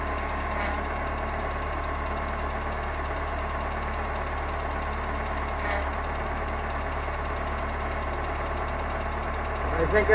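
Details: 2003 turbo PT Cruiser after a power steering flush and bleeding, fluid warm with no bubbles: a steady, even idle with a low hum and no whine or groan from the pump; normal power steering.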